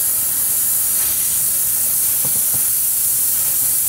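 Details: Chevy Cruze cooling system under an air-powered pressure tester, engine off: steady, loud, airy hiss of air escaping through a split coolant hose, a large leak.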